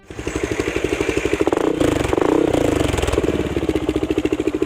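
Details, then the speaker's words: Xciting S400i scooter with a newly installed budget aftermarket exhaust pipe, replacing a failed stock pipe: loud, deep, evenly pulsing exhaust beat that swells on a throttle blip and settles back; smooth, healthy running. "So ito na boys and girls, nakakabit na and okay na yung muffler natin. Salamat dito sa DVE Muffler Shop. And ito yung tunog ng pipe natin."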